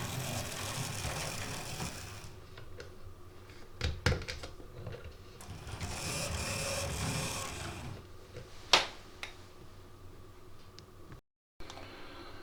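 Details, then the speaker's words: Oxford Rail Class 415 Adams Radial 4-4-2T model loco, second-hand, after motor service and pickup adjustment, at full speed: low soft whir with light track clicks, much quieter than before; slows slightly. "Well, I've thrown that in both directions and seems to be running okay. Does seem to slow a little bit, you know, so but let's run it at full. And you can hear it's a lot quieter."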